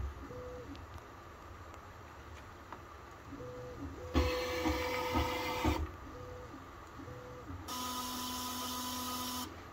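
Stepper tones step up and down, broken by two rough buzzing bursts of a second or two each; the motor is grinding, cause unclear.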